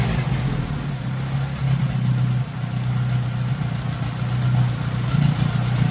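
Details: 1957 Hercules flathead four-cylinder engine with magneto, just revived, oil topped up after being a quart low, antifreeze circulating, warm but not hot after over 20 minutes; steady low hum with even pulse, no knocking or ticking; normal idle.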